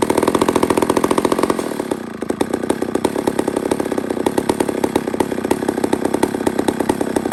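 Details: Old McCulloch 1-71 chainsaw after major carburetor upgrade with new adapter: crisp, even two-stroke firing dropping from high revs to a steady regular idle without stumbling; normal running.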